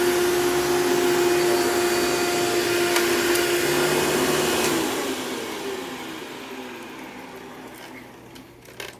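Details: $9 vacuum running with its existing paper Bissell Style 7 bag fitted: steady clean motor whine, no knocks or scraping, winding down smoothly after switch-off; runs well; leans back, possibly from broken motor clamps.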